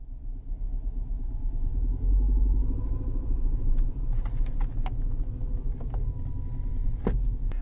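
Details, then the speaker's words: Mercedes C250 W204 four-cylinder at idle: a deep pulsing rumble beats with every engine revolution through the cabin, sounding like the engine leans on the right side of the subframe; first suspected a noisy high-pressure fuel pump, traced to worn engine mounts. "you can hear every revolution of the motor it sounds like the engine is leaning on the right side of the subframe"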